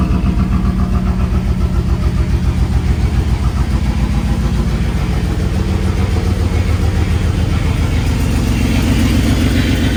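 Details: 1995 Pontiac Firebird Formula with Corvette LT1 swap, first run after sitting 7 years: loud, lumpy V8 idle with a steady chuffing beat at about 3.5 per second; rough running, big exhaust leak noted.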